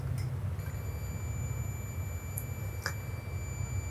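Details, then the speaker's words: AC compressor terminals (start, common, run) checked with multimeter on continuity/beep: clean steady high beep, meter reads 3 across first pair; winding has continuity, not open. "Multimeter beep कर रहा है। इस पे जो value show कर रहा है वह कर रहा है तीन।"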